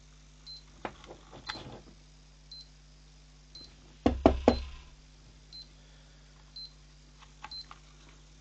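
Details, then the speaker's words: PC power supply plugged into a tester makes a funny, continuous noise: faint steady hum with short high beeps about once a second and a few clunks. The PC earlier would only power on when laid flat; the tester's beeping points to a failing power supply. "so yeah something's very weird with this so that's why I thought it was the power supply cuz it's making a funny noise"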